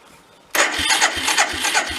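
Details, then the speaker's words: 1979 Chrysler Sno-Runner, sat over 40 years, starting attempt: sluggish cranking at about three labored beats per second with no catch, the starter dragging as the battery runs down. "the battery's going yep"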